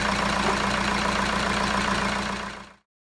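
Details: Jeep Liberty diesel first started after timing belt replacement and final tensioning: steady diesel clatter with an even hum and no knocks or misses for a few seconds before shutoff; runs normally.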